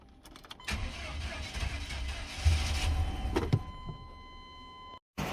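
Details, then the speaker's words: 1998 Chevy C1500 just after the clogged fuel filter was replaced to cure a crank-no-start. Low, even engine rumble after a brief chime; the truck idles smoothly without stumbling or dying. Normal idle after repair. "Alright, so we got it running."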